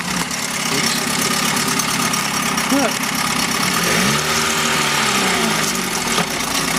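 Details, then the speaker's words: 1971 Mercury outboard (listed as 7.5, also called 72 horse) revived after coil work; cover on, steady even idle with no stumbles; runs like a dream. "put a lot of hours into this thing trying to get it to run but now it runs like a dream"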